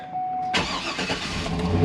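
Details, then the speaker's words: 2010 GMC Yukon 6.2L after AFM/DOD delete, new oil pump and Stage 2 L92 cam with new tune, just started: strong, slightly lumpy idle with no lifter noise, about 50 psi oil pressure (owner says still low); rough idle partly the cam. "well right now i mean it's it's in 50 psi but as you can hear out here no no lift or noise"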